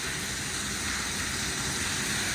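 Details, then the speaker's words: New Goulds well pump on first activation filling a 2500-gallon tank: constant rushing hiss of water, no sputter, gaps or surging. Good flow rate, no leaks, water brown from the stirred-up well. "zzing that is water flowing baby and no leaks so far at least the plumbing coming out of the well well that sounds like a pretty good uh flow rate too"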